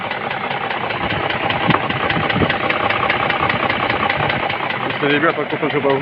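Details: BMW M62B44 V8 at idle, listened near left cylinder head: sharp, regular knock about four per second over idle, steady; cause confirmed as a knocking piston.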